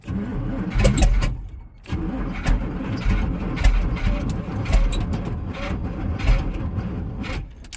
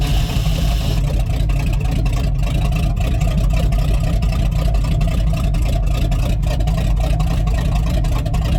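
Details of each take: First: Rotted squarebody Chevy with a 454 big block, fuel sprayed down the carburetor: the starter churns the V8 over in uneven surges but it never fires. The owner suspects no fuel reaching the carburetor and plans a fuel-pump fitting. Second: Rotted squarebody Chevy 454 big block running on jumper cables with the fuel pump on: a deep, even V8 rumble at a steady speed with no stumbles or misfires that the owner says sounds good, though it was then dripping hydraulic fluid.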